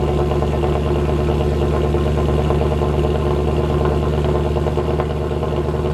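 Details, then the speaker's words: W204 Mercedes C63 AMG V8 at idle after fix (long-tube headers, sport cats, mid silencer): deep steady rumble, even low burble, no drone or rattle; exhaust healthy and louder. "not only is the new configuration quite a bit louder but it just sounds amazing there's this AMG sound that we all now know and love but it's just turned up to 11 really sweet"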